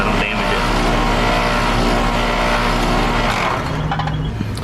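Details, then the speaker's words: Copeland scroll compressor in a unit installed only three months earlier, made to run backwards by short cycling. Loud, steady, coarse metallic hum with a rough rattle: scroll compressor running backwards. "that compressors running backwards that the sounds of it and we get a backwards running compressor"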